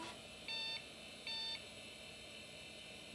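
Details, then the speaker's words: Early-1990s 486 PC at power-on after hard drive spun up, CR2032 battery not yet replaced: two short high PC-speaker POST beeps about 0.8 s apart, still can't start; owner wonders if drive misconfigured or wiped. "PC speaker beeping. Ooh, still can't start."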